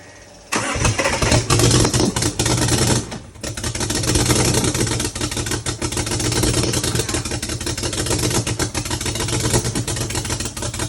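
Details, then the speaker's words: BMW 335i N55 engine started with starting fluid: catches, runs roughly and nearly dies twice with uneven knocking beat; cylinder misfire heard, engine turned out to have rod knock. "You definitely got a misfire on a cylinder. fuck a misfire."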